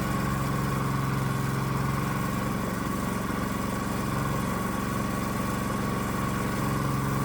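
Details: Predator-type small single-cylinder engine on a custom adjustable electronic ignition (GM LS coil pack, inductive proximity sensor), with timing advanced to 47° BTDC. The idle putters with an uneven, labouring beat; the engine runs rough when over-advanced.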